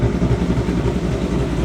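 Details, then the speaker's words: 2023 Mustang GT V8, still cold, on a Lund ghost-cam tune with stock exhaust: a deep, steady rumble with a lumpy cam chop, idling slightly high because it is cold, otherwise running fine. "She's dropping. She's still idle a little high, but it is cold."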